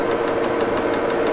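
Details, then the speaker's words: Wohlhaupter UK4 head shank being machined on an Axelson engine lathe: light regular clicks about six a second over steady lathe hum from a rough spot left by cut-off wheels, hard outer material. "I don't know if you can hear it clicking."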